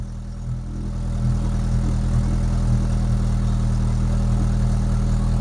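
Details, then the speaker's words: Rover 25 GTI 1.8 VVC after replacing rocker cover gasket and HT leads, first start cold: steady fast even idle settling after a second, no stumble or skipped beats; previous misfire appears cured. "I don't think I can hear a misfire. Do you know what? I think that's actually cured our misfire as well."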